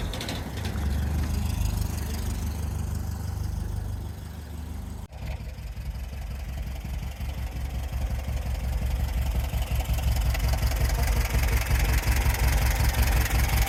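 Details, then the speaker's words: VW air-cooled flat-four sandrail dune buggy after 18 months stood, after the split vacuum hose was replaced with new pipe and a Jubilee clip: even, steady chuffing idle, all four cylinders firing, running well. "very happy. It is running really well. 4 cylinders now firing, which is fantastic."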